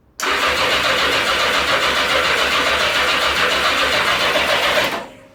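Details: 1982 Yamaha XJ650 (4K0), over 90,000 km, with carbs cleaned, floats set and spark on all four plugs: about five seconds of even, rhythmic starter churning at steady speed with no firing; the engine cranks but won't start.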